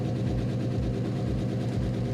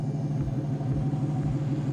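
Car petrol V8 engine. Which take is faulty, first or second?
first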